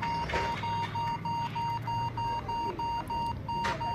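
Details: HP laptop stuck at the boot menu: sharp, unbroken high beeps about three a second; caused by a disabled boot option support setting in BIOS, fixed by enabling it and saving with F10.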